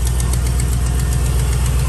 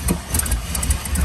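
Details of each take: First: 2001 Chevy Silverado 1500 5.3 V8, previously misfiring at idle with bank 1 and 2 lean codes from a cracked EGR tube, after exhaust manifold leak repair with sealer: even, steady idle, smooth low rumble, no ticking or puffing. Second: 2001 Chevy Silverado 1500 5.3, warm: low lumpy stumbling idle, worse when up to temperature, dies in gear; bank 1 and 2 lean codes, multiple misfires, traced to a cracked EGR tube vacuum leak; new plugs and wires already fitted.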